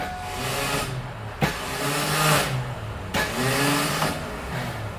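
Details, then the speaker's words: Bronco after starter bolt backed out and shredded flywheel teeth: two start attempts, each a harsh clack and grinding burst with no catch as the starter hits the broken teeth and spins; transmission must come out for repair. "It's hitting those broken teeth."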